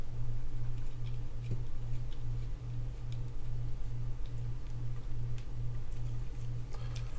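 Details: Shimano Stradic C5000XGL fishing reel after a new rotor replaced the warped one that caused clicking while cranking. Cranking gives an even, rhythmic hum about twice a second with no clicking; the reel turns smoothly.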